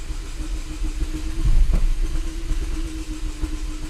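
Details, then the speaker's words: 2004 Chevrolet Malibu Classic idling just after new parts were fitted: low, uneven idle wandering and surging; the engine still runs rough, barely catching itself, so the new parts did not fix it. "Nope, it's still barely catching itself."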